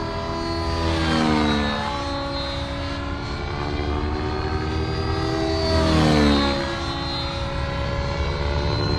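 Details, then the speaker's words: Nitro RC helicopter (Raw Nitro 580) with an OS 55 AG engine, power boost pipe and OS #8 glow plug, on 30% heli fuel, tuned slightly rich. A high-pitched buzz dips and climbs smoothly under load in hurricanes and recovers cleanly without sputter; the smoke trail and mid-range are normal, so the engine is healthy. "so that smoke Trail is about normal that mid-range feels good"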